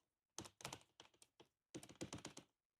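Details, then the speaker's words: Toyota Tundra door with window lowered: two quick bursts of sharp, dry rattling taps from a loose window seal in its track; to be fixed with peel-and-stick felt. "And if the window's rolled up, it presses up against this seal here, and it keeps it nice and tight. But when the window isn't there, you can hear that rattle."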